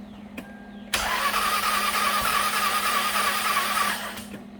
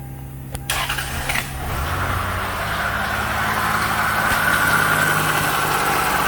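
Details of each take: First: 2000 Lexus ES300 3.0 V6 interference engine, died while driving, towed in, on a jumper pack: cranks fast and evenly with no compression and no firing, as if no spark plugs were in; mechanic says the timing belt has most likely broken. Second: 2000 Lexus ES300 3.0 interference engine, towed in dead, no compression while cranking, first start after reinstalling the timing belt: cranks, catches, settles into a steady even idle with light water pump whirring; motor sounds healthy, water pump noisy.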